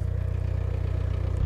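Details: VW T3 turbodiesel van at 4,600 m in the Peruvian Andes after a sudden power loss with white exhaust smoke, turbo found seized with no boost: deep, fast, uneven throb with no crisp pickup; rough-running diesel.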